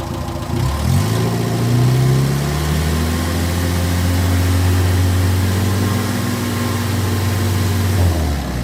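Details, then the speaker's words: 1958 Morris Minor ute engine after 20+ years sitting, tested with an oil pressure gauge reading about 50–60 psi: catches after a second, blips, then settles into a steady, even low idle with no knocks or misses; judged in surprisingly good condition. "So, I guess the summary for this engine is that it's in surprisingly good condition."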